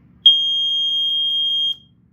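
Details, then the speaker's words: Montgomery Wards 84-7 (BRK 79R rebrand) ionization smoke alarm, 1981–1983, 9V battery, piezo horn: test button gives a single shrill steady high tone about one and a half seconds, very loud; working normally. "And yes, it's freakishly loud. For a Piezo unit, it's incredibly loud."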